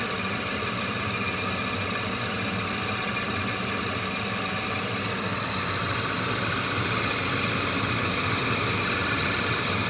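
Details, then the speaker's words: Bryant furnace, second run with gas off: steady airy fan rush with a thin high squeal growing midway; inducer motor squealing after rust fell from ductwork into the fan, owner unsure whether lubrication or replacing the motor will fix it. "so I don't know if I have to lube it up or swap out the inducer motor to get rid of the squeak but you'll hear it in a second"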